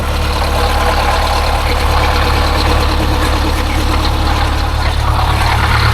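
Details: Detroit Diesel 8V-71 warming up at idle, hot water flowing to heater before thermostats open, after a new starter (part 6924N) was fitted: steady low rumble, even beat about four pulses a second, no knocks; healthy idle.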